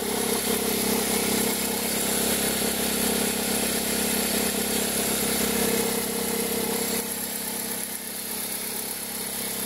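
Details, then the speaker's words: 2003 Toyota Corolla with an engine noise only when cold that stops as it warms: a steady, rapid ticking whirr at about four beats a second over a smooth idle. A stethoscope traced it to the accessory belt tensioner area. "A gente colocou, quando a gente colocou, a gente percebeu que o barulho ficava muito forte na região aqui da correia de acessórios, porque o barulho um barulho que incomodava, né?"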